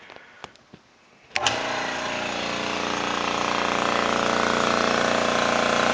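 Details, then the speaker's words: Gast 1LAA oilless reciprocating piston air compressor (1/6 hp thermally protected motor, 3.9 A full load, 50 psi continuous) bench tested after overhaul, running steadily with a normal piston hum and slight vibration while filling a 3-gallon receiver; healthy. "the compressors do make a little bit of noise it's a reciproc reciprocating piston compressor so there is a little bit of vibration and noise to it"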